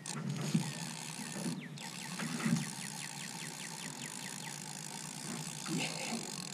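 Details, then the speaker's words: Restored 1960s Mitchell 304 spinning reel cranked with the anti-reverse on. Quick, light, even clicking, several per second, is the normal pawl action. Switching the anti-reverse off makes it much smoother. "So now this is with the anti-reverse. You hear the click, click, click, right? I can turn that off and it's much smoother."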